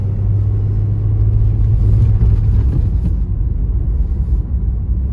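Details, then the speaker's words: 2006 Scion xA with a 1.5L 1NZ-FE and high mileage, warm after a cold start, lugged at low rpm under load: an uneven stumbling rumble, bucking and logging an occasional cylinder one misfire after a rain storm; diagnosed as a faulty ignition coil. "okay so it seems that at lower RPMs under a load speed up up yeah give it it's bucking and jerking and and it's logging misfires"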